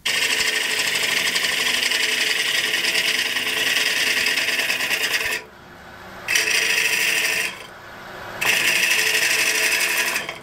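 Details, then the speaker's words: High-end wood lathe with stability problems: harsh scraping cut with strong rough vibration and bursts as the tool re-engages; huge vibrations, a bump formed on the workpiece, chatter from out-of-round workpiece. "Là, on l'entend. Il y a des vibrations énormes. Je sens que c'est une bosse qui s'est formée."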